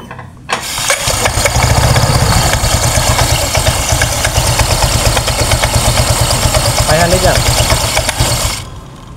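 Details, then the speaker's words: Honda Vario 125 scooter chirping on start, CVT cover removed, after prior poor workshop repair; steady idle with faint chirping squeak, seemingly from front pulley, roller housing or fan area; squeak at idle. "ini suaranya seperti berasal dari puli depan Pak ya suaranya seperti dari bagian rumah loler ataupun kipasnya Pak sini bunyi cericit"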